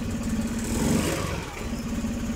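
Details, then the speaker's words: Honda Spacy fuel-injected scooter revved: engine labours, stumbles and won't pull with no power at all, O2 sensor reading low at 0.39; fuel starvation from a clogged injector. "enggak ada tenaga sama sekali"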